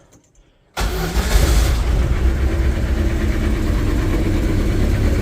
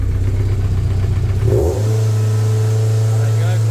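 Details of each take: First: MGF race car engine after fixing a throttle surging/running problem, running about 35 minutes with occasional revs: starts at once, steady even idle, brief clean blip; normal running, issue solved. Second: MGF race car on live data: after a blip the revs hang high, then drop suddenly and settle. No fault codes, though the engine light has flashed since a conversion. Idle surge.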